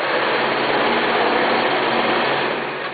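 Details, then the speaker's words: Scroll saw at speed 10 cutting wood: even, fast buzzing chatter of the blade stroking through the wood with no knocks or binding, normal cutting. "speed 10 gives you enough control and it does cut you know pretty fast so you can get your job done"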